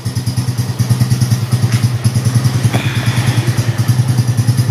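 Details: Yamaha Mio M3 125 scooter after repair; before, it was hard to start, stalled at idle and vibrated badly, with a leaking valve found. Now a steady, even idle at about three beats a second with no knocks or misses.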